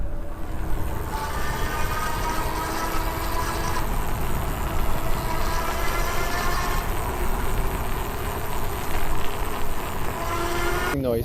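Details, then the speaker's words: Super73-Z1 e-bike riding after freewheel replacement and clunk fix: smooth, even electric hum over tyre and road rumble, no clunking or squealing; hub motor sounds healthy. "oh my gosh right away listen to that no noise it's just humming it's beautiful now"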